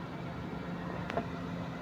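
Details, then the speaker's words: Suzuki DA64/DA17 A/C compressor that had been noisy with black oil and worn internals. After the system was flushed, only a low steady hum with faint engine drone, no rattle, blowing cold on fan setting 1: normal operation. "ayan malamig siya walang ingay dito. So walang ingay sa loob."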